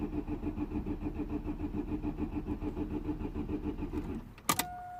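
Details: 2009 Vauxhall/Opel Astra H 1.6 petrol with code P0685 cranks steadily for four seconds without catching; crank no start caused by an open circuit in the main relay wiring.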